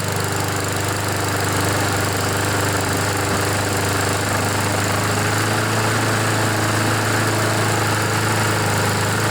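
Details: Honda GCV engine on a Poulan mower that wouldn't start, smoked and had an oil-covered air filter; still not fully warmed, needing some choke. Steady, even single-cylinder drone with no misses or knocks at constant speed; running normally as oil burns off.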